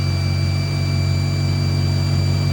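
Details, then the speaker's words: Mercedes W210 idling right after a MAF sensor replacement: steady, even low drone with no dips, misses or hunting, no longer bumpy or choking for air; a vacuum leak, location unknown, is still to be fixed. "This is how she should sound at idle. Not bumpy and everything like that."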